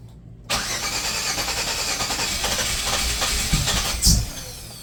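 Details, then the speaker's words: 1997 Chevy Venture after sitting years, jump pack on boost: quick, strong, even cranking with the engine trying to catch; starter sounds healthy. "But the starter sounds good. The engine sounds good."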